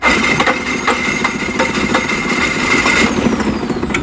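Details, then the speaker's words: GMC 5.3 L fifth-generation V8 gasoline direct injection engine, after replacing a burnt-out starter: cranks with uneven chuffing but never starts; mechanic suspects the injectors, possibly water in the fuel tank. "मुझे तो इसके injector में fight लग रया तो भाई engine start नहीं हुआ है हो सकता है इसके फ्यूल टैंक में पानी हो"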